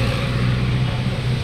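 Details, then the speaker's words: 2017 Toyota Wigo automatic that hummed from the transmission, worse when cold: after a new filter and fresh ATF, a steady, even low drone with no hum or whine, and the check-engine light is gone. Normal transmission operation. "Wala yung Ugong OP nawala"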